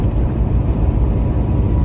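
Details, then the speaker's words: Truck driving: heavy, uneven low buzzing rattle over road rumble from a loose open dash cup holder; light pressure on it stops the noise. "all this noise you're hearing in the background is from this cup holder and if you have the other one open too make the same noise"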